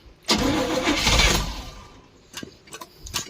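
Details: 1972 Barth motorhome petrol engine, first run in 15 years, electric fuel pump, new fuel filter and clamps: cranks, brief roar, then fades and sputters in scattered pops; owner suspects the fuel hose doesn't push enough fuel.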